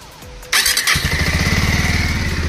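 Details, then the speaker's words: Bajaj Avenger Street 160 after fixing self-start problem, bike had stood unused many days; owner suggests checking the starter motor: brief starter whir then engine catches on first press and settles to steady even idle; normal electric start. "One self में bike अपनी start हो गई है यह problem थी"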